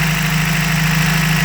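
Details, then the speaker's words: 1993 Toyota pickup 22R engine, warm, high or surging idle, running lean on O2 sensor, TPS good: steady even hum at raised idle, no hunting; coolant-controlled fast idle valve suspected stuck if its hoses stay cold. "If they are cold, that will happen, because this valve is used when the engine is cold to increase the RPM."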